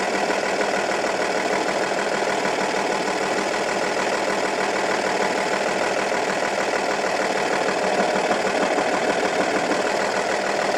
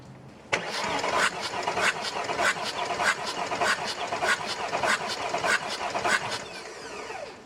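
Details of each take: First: Audi A8 D2, 2.5 TDI V6 AKE diesel, rough idle that began after the owner replaced hydraulic lifters and rockers. Loosening cylinder 4's injector nut leaves the lumpy idle unchanged while cylinders 5 and 6 change it: cylinder 4 dead. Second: Audi A8 D2, 2.5 TDI V6 AKE diesel with a rough idle, cranking during a compression gauge test through an adapter. Cylinder 4 read 0 and cylinders 5 and 6 about 20–22 bar; even, strong cranking beats.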